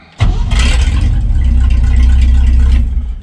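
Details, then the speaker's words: 1965 Chevy C-10 pickup V8 after about 25 years unrunning, left sitting several days without touching gas pedal or choke: brief crank, catches right away, settles into steady low rumble; normal easy start. "and uh and the truck just starts right up [Music] and just run to my amazing"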